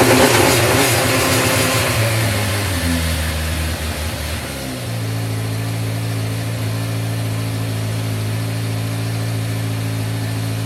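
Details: 1986 Yamaha FZ600 four-cylinder, first running after 15–20 years sitting, fresh oil, newly fuelled carbs: a few ragged revs, then a steady, even idle with a smooth low hum; runs fine.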